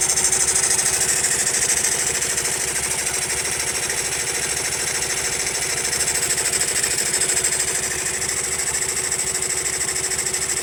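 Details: Honda Monkey small single-cylinder at idle, after tappet adjustment: fast, slightly uneven tick over a thin high clatter from the top end; abnormal noise persists and its cause remains unknown.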